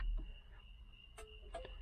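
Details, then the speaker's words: 1978 Chevy Nova V8, key on, cabin: faint sharp flasher ticks over a low rumble as the right turn signal works normally with two factory bulbs; the left signal lights on the dash but does not flash. "You can hear it click. That's the right side. See, it's working."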